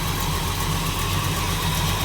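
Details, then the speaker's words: 1937 Buick street rod with a 400 cu in small-block Chevy, about 35,000 miles since an ~1989 rebuild, good oil pressure, at idle: sharp ticking puff on every firing pulse; cracked, leaking exhaust manifold burning a spark plug boot. "Got manifold leak. You hear it right there? It's burning the spark plug boot a little bit."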